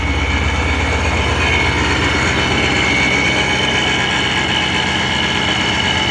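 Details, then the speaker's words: Supercharged BMW E39 M5 at first start-up the day after the supercharger install and tune; steady high-pitched supercharger whine rides over a smooth, even V8 idle, with normal blower whine and a good idle. "Man, that's a whiny little fella. Car's idling pretty good."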